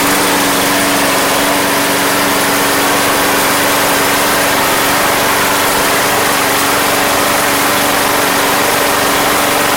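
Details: Craftsman Platinum lawn mower, Briggs 190cc single-cylinder, running after a no-start fix with a replacement carburetor: loud, steady buzz at constant pitch, no surging or misses; gas was seen pouring from the crankcase vent, yet it runs smoothly.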